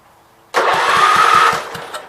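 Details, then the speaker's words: Tractor (526) engine cranks with even compression pulses, about five a second, but never catches: no spark, traced to dirty ignition points. "I bet you almost all the money I gave for these tractors it doesn't have spark yeah negative"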